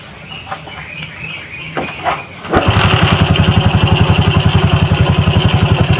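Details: Suzuki Shogun motorcycle after a bearing replacement, having been rough-sounding and worse with throttle: it fires at about two and a half seconds and settles into an even single-cylinder beat near 220 a minute, a healthy idle.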